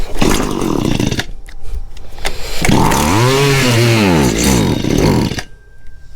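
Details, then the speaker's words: Small two-stroke engine started after fuel line and filter rework, primed and choked; sputters and catches after a couple pulls, then revs up and down cleanly with sharp buzz. Normal running. "okay well I think it's working so what I'm going to do is I'm going to hold on to this until tomorrow"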